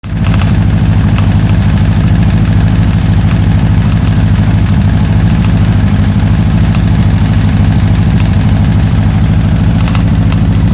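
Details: Steady engine idle with a quick light ticking under the low rumble throughout, likely from the top end; cause not yet known.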